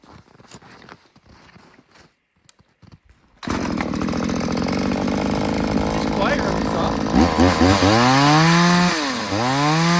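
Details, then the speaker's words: New Little Beaver TCS4600 chainsaw on a warm start with its chain just tightened and oiling well. Idles, then revs in rising and falling sweeps with a slightly soft, burbly top end. Still running a bit rich; owner plans to lean the high and richen the low. "It's still running a little bit rich, and I might touch that up a little bit. We'll probably lean out the high idle and rich up the low."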